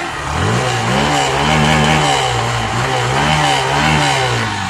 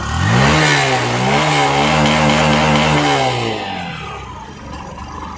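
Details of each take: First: Hero Passion Pro BS6 fuel-injected bike after fixing a starting and slow-idle complaint: the engine blips up and falls back cleanly with no stumble, holds a steady idle, and the MIL is off; fault was the fuel pump. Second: Hero Passion Pro BS6 motorcycle that starts and idles but won't rev: revs climb briefly, then stumble and sag when throttle is given; OBD shows no faults and pickup coil ohms are correct, so fuel pressure is suspected.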